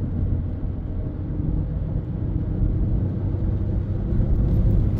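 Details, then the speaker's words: 2011 Ford F150 with 221,000 miles, driving a U-turn after replacing the transmission solenoid for limp mode when warmed up: steady low drivetrain rumble, no flare, slam or surge in shifts; tire howl aside, transmission now normal. "so here we go here's the U-turn and yeah no issues"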